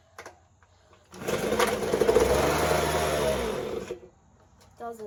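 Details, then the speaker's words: Ryobi two-stroke leaf blower, acquired in a trade, being tested to see if it will run: the high buzz runs about three seconds, then bogs and cuts out and won't hold idle. Owner adjusts the carburetor and idle; cause not confirmed. "so it's bogging so I'm going to try adjusting the carburetor a little bit and then we'll see if it starts a bit better"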